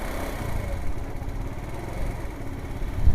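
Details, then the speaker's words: Wolf Islander 50cc Vespa-replica scooter, kick-started after a new fuel regulator, on poor-quality gas: low, slightly uneven idle with a short blip near the end; normal cold warm-up. "okay so like i said it's still in its warm-up phase it has really crappy gas in it and that's to be expected so we're gonna let it do its little warm up"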